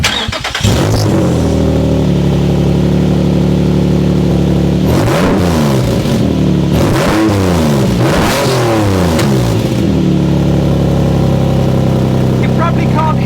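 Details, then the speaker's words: Exhaust with a big hole in the flex pipe, engine running, mic held under the car beside it: very loud, raspy blowing that chuffs with revs, spitting from the joints; exhaust leak at the holed flex pipe, before the exhaust change. "Under here, but it's very, very loud, and it's all coming from there, and it's also spitting out from the joints."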